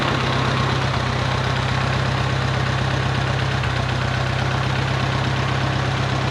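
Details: 1951 Farmall Cub tractor after a carburetor clean and fresh fuel, just started with plenty of oil pressure: a low, steady purr at a slow, even idle, no skips or rattles; running sweetly.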